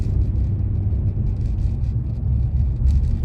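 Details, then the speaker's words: 2015 Nissan Frontier test drive on a smooth road after installing new Autoround wheel bearing hub assemblies: steady low road rumble at cruising speed, no hum, growl or whir rising with speed. Normal wheel bearings. "see if I notice any noises this road I'm fixing going it's fairly smooth there not a lot of traffic out not like it was earlier so far so good I don't hear anything"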